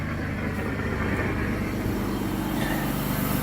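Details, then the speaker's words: 2008 Mercury Mariner, no-start with no clicks, starter overridden with a screwdriver and owner suspects a bad starter relay: steady, low, even idle with no misses, knocks or stumbles once it cranks; engine runs normally. "I overrode I overrode the starter my screwdriver and hit that there and then hit the one just you can see she runs"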